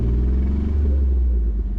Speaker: We're gonna start it and see if it sounds I good. don't know if it's just the exhaust or is the motor making much noise? Come rev the engine, bud.